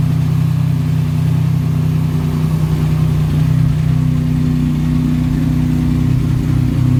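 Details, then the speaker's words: Buick Grand National on cold start: deep, heavy drone at steady idle, far louder than stock; whole exhaust system hanging low, too long and badly fitted, to be replaced; loud exhaust from loose, poorly fitted exhaust system. "first thing that I didn't really like about it like you've had a lot of exhaust noise on it"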